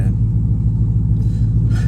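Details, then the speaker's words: Dodge Charger SRT8 392 V8 after an exhaust leak hole was patched at a muffler shop; deep, even rumble with no puffing or ticking up front, exhaust now heard only at the rear; leak fixed, healthy. "I don't hear no exhaust right here. I used to hear the exhaust right here. Now I don't hear the exhaust right here no more. It's all in the back now."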